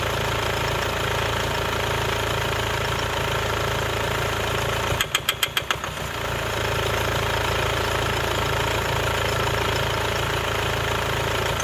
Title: Mercedes-Benz W204 220 CDI OM651 Geräusch Noise Klappern Motor unrund Injektor defekt